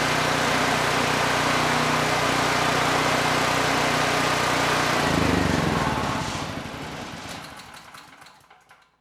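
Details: Generac GP6500E generator, previously seized engine, after repair and carb check, started first pull: even, steady engine drone with no hunting or misses before winding down at shutoff; carb running it well, engine runs properly.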